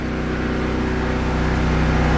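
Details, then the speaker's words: Briggs & Stratton tri-fuel 8 kW generator (15 hp engine) running on pure propane under heavy load; steady, even drone with no surging or misses, running smoother than on gasoline. "Okay let's listen to this thing kick off off running off of propane see if propane's got enough to uh to run it"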